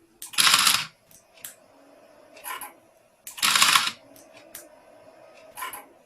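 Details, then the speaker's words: Mercedes S600 throttle body with ASR on the bench, clutch coil wire disconnected to simulate a broken coil: a sharp whirring burst as the motor spins once, then quiet with a few small ticks as it shuts down; coil soldered back afterwards and everything works. "see right now clutch coil is disconnected i'm resetting it"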